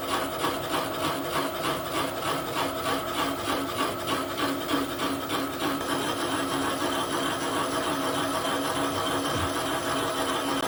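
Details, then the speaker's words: Boring out a bore on a KASTO EBS 400 power hacksaw clamping vice jaw during rebuild: the hole is out of round, so the tool cuts only on opposite sides, a steady scraping rasp pulsing about three times a second. "That hole's a bit, it's not round, so it's just cutting a bit on this side and a bit on the opposite side."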